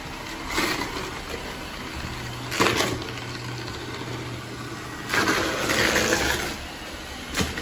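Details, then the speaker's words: iRobot Roomba S9+ robot vacuum on carpet: over a soft hum, gritty crunch bursts come a few seconds apart as it rolls over cereal and grinds it toward powder. The owner faults the brush design, saying it does little on carpet. "you can hear this crunches up the cereal probably into some powder"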